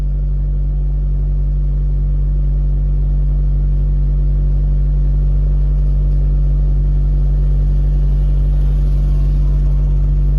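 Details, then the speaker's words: 2006 Honda Fit L13 automatic with coolant temp sensor and inhibitor solenoid faults, live data showing high MAP reading: steady even low hum, no misses or knocks, but idle stays too high in drive; cause suspected, not confirmed. "High reading yung map sensor niya Mataas yung idle niya ag Nilagay ko sa drive Hindi yan dapat ganyan"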